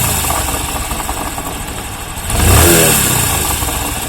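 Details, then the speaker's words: Bajaj Discover 125 cc motorcycle engine under light throttle; rough grinding growl from inside that swells with throttle blips, suspected broken crankshaft main bearing, full engine removal needed. "तो फिर इसका अंदर से एक आवाज आता है, घर घर घर घर, देखें साउंड।"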